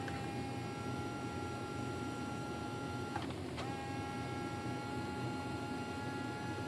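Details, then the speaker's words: Arcus M retractable motor system on the bench, servo travel set to 150% while adjusting the low-end throttle point: constant high-pitched electric whine that cuts out briefly and returns unchanged, abnormal retract servo buzzing; motor failed to retract after the maiden flight. "okay now I hear that noise I don't like it"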